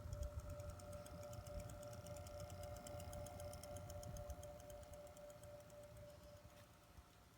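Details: Two-week-old Corsair CX750M PC power supply, system with stock-clocked 4790K and GTX 980, makes rapid, fairly even clicking about four a second over a steady hum and whine.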